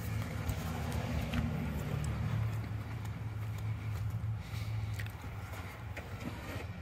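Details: 1997 Lexus LX450 (Toyota Land Cruiser 80-series) 1FZ-FE compression test, gauge on cylinder one, plugs out: even, steady cranking beat about three per second, no weak strokes; compression very consistent across all six cylinders.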